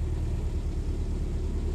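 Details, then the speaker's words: Willys Jeep, cold start after carburettor rebuilt with original parts (no master kit), on choke and a little hand throttle: low, deep rumble catching and fighting, slightly unsettled; more choke needed, cold-start stumbling on choke. "okay if i turn on the ignition there we go right that's it fighting"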